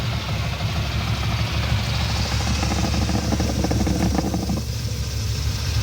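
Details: First-gen Dodge D150 V8 with AC compressor bypassed by an idler pulley: deep idle with loose uneven chuffing about three per second that sounds like a knock; exhaust puffing from the disconnected smog line.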